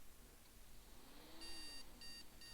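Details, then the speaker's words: PC motherboard with no RAM fitted giving POST beep codes, a few short high beeps in bursts in a quiet room; analyzer card in PCIe slot shows no codes. Fault: PC only boots after holding MEM OK! button. "yeah so we getting bleeps but we can't see any codes on the analyzer which is a total pain in the butt basically"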